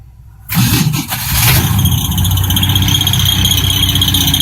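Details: 1967 Ford Mustang 200ci six, cold start at 34 degrees after jump and priming, in neutral: catches after a quiet second, then a steady high-pitched squeal over the cold idle, likely belt or accessory; alternator being diagnosed for replacement.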